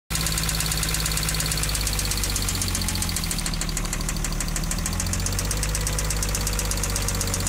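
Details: Ford Probe 24-valve V6 petrol engine idling with a steady, rapid metallic knock ticking over its low hum; it developed recently and the cause is unknown.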